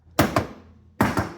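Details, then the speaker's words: Weathered barn-find Bally Gold Ball pinball machine in solenoid test mode: two pairs of sharp, solid clunks about a second apart, each coil snapping cleanly; solenoids working, normal solenoid operation. "They're working now. I think I think they all went"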